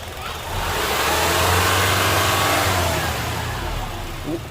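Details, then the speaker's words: Honda CR-V 2.4 K24 engine after valve clearance adjustment: smooth pickup under a light throttle blip and settles back, no ticking or tapping, quiet normal running confirmed as fixed. "It's just a normal engine running, so it's quiet. This is confirmed."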